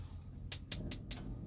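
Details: Motorhome gas hob with little gas left in the bottles: four sharp high igniter ticks about a fifth of a second apart, no flame catching; they suspect the gas just needed to prime through.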